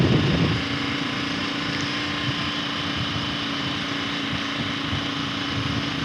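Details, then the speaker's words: Kawasaki KLR single-cylinder, after doohickey (balancer) service and airbox mod, riding in second gear, dash cam audio: even thrum pulling under load with wind noise, earlier timing chain rattle gone; normal running. "I'm not hearing that sound I was with the doohickey anymore, so that's great."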